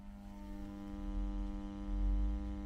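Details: 1970s Selmer Treble & Bass 50 SV valve guitar amp during restoration: constant low buzzing mains hum, steady pitch, caused by the HT fuse ground on the preamp cap cans; moving it to a star ground cured it.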